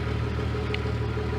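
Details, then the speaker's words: 1996 Jeep Grand Cherokee Laredo after fuel pump and filter replacement for a crank-no-start, key cycled about 8 times to prime: steady even low rumble, smooth firing, no misses; normal idle. "And as you can probably hear, it's running. So had to turn the key off and on about 8 times to get the full system primed with enough fuel to start."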